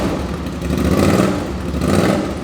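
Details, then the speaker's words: 2005 Suzuki V-Strom 650 after engine swap (original had rod knock), very low mileage replacement engine, first start with no muffler fitted: loud, throaty open-pipe rumble rising and falling with throttle, even firing, no knocks, no drips; normal running. "This thing sounds great. Obviously I'm gonna put the muffler on it. It still sounds really good, but that sounds so mean."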